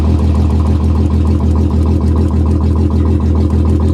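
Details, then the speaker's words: 1999 Audi A6 Avant Quattro at Copart, enhanced mechanical damage, AC on: steady idle with regular stumble about three times a second; starting to misfire, owner suspects plugs, plug wires or coil, not confirmed. "feels like it's starting to misfire a little bit it's at zero dollars"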